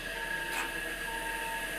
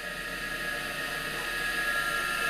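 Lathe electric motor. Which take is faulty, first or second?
second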